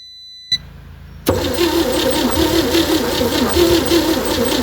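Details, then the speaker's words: 1960 Chevy C10 235 inline six, sat about 40 years, cranking on a battery charger: steady, uneven churning that tries to fire but never catches, spark present. Compression thought too weak; blow-by, rings need to reseat. Crank, no start. "Well, it's trying to fire. I think our compression is just so weak. We're gonna have to just crank it to warm it up a bit."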